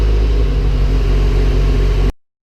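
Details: SR20DET first start after rebuild and front-end assembly, with some clips missing and a borrowed battery: the engine catches and settles into a steady, even low rumble for two seconds before cutting off. Normal running after engine rebuild.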